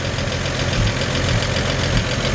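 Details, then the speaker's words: 1954 Chevrolet 3100 truck idling normally, with a smooth, steady, soft low rumble like a healthy engine and only a slight squeaky belt. "you can hear just this engine purr like a kitten i mean it just has a little squeaky belt but listen to"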